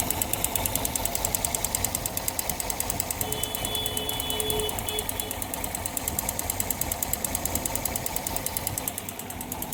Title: Yamaha FZS engine noise problem #automobile #tvsntorq125bs6 #herohfdeluxe